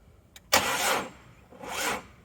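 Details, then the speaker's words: Mazda Bongo 2.5 V6 with an ongoing misfire, start attempt after fitting a new O2 sensor: two short, weak cranking bursts that die without catching; battery completely flat: weak cranking. "oh that didn't sound good got flat battery I think yeah battery is completely flat"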